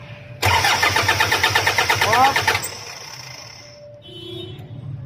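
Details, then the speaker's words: Toyota Fortuner diesel cranking without starting: starter spins the engine with an even rapid chugging for about two seconds but it never catches; scanner read a fuel-related fault, diesel visibly spraying out on cranking, owner suspects a holed fuel line or injector problem. "May napansin ako kaya lang guys na pag ini-start ko may pupos dito start start mo ayan kita niyo lakas yan yung lck niya sa crudo mukha natin higpitan Yeah start"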